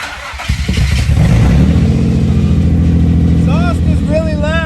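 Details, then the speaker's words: Nissan 350Z after a complete engine rebuild using junk Nissan Murano parts: catches after a short crank and settles into a loud, steady exhaust rumble with no knocking; sounds healthy. "loud, but you can't hear any knocking, which is great. The engine sounds great."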